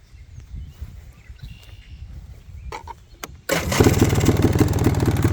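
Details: 2003 Polaris Trailblazer 400 ATV after fitting a new starter, Bendix and gasket: quiet handling, then the engine fires and settles into a steady, even run; healthy.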